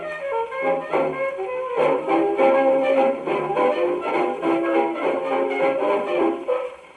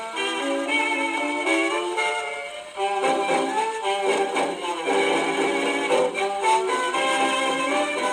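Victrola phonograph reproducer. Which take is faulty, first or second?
second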